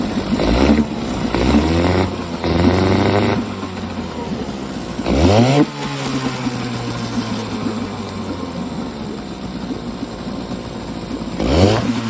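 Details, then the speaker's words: 1952 Johnson SeaHorse 10hp two-stroke outboard, garbage-picked, revived with penetrating oil, no carb rebuild or new impeller; revs hard to full throttle via tiller-lift throttle then drops back to steady even idle; runs clean, normal running. "I'm going to leave it up. I'm going to give it a lot of throttle here."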